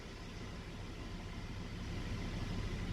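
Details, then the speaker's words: Hummer H3 petrol engine at idle with all ignition coils good: a steady, even low rumble with no misfire or stumble, a normal idle. "so that's a normal idol it's good"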